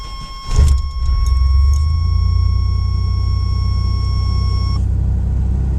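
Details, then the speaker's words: 1988 Chevrolet S10 Blazer, original muffler (about 32 years old) removed during exhaust repair after a small exhaust leak sound; engine starts and idles with a deep, even open-exhaust rumble, not as loud as expected without the muffler. "since I got the muffler off Melville started that see how it sounds like was no muffler"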